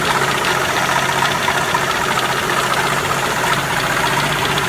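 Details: 1981 Jeep CJ7 4.2L 258ci, supposedly rebuilt engine, at idle: light metallic tapping about four per second; suspected beginning rod knock or spun rod bearing, possibly valve train, unconfirmed; drained oil showed nothing concerning.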